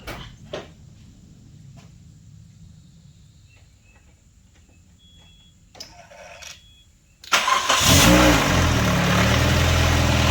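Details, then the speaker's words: 1999 Nissan Sentra 1.6 just after an EGR delete and new headers were installed, first start: a quick crank, then a smooth, even idle with no exhaust ticking. Much quieter than before. Owner notes slight oil smoke where the exhaust touches the oil pan. Normal idle. "Nice and quiet compared to how it was before."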